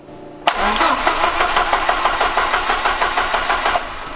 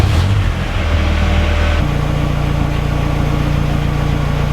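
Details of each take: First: Ford Escort RS Cosworth hot after cutting out: 12 volts still reach coil and injectors, but even cranking beats about three a second never catch; warm no-start. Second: Ford Escort RS Cosworth that cut out once warm with its old crankshaft sensor; after fitting a Ford Focus crank sensor it starts and settles into a steady, even low idle with no misfire or stumble; normal idle so far.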